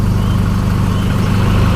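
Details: 2012-13 Chevrolet Colorado diesel with white smoke, knocking, stumbling and poor acceleration; scan codes on all four injectors (cylinder 2 flagged) and EGR motor, EGR removed: deep lumpy uneven idle throb; rough idle from faulty injectors.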